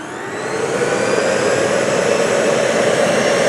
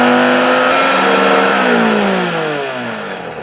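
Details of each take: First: Salvaged double-insulated juicer running once its safety latch switch is engaged: a steady, smooth high-speed motor whir that swells as it spins up and holds an even pitch; the motor and bearings sound fine. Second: Donated blender missing some feet, first power-up: strong high whine with a coarse, uneven edge slowly sagging in pitch; powerful but rough-running motor, cause unknown.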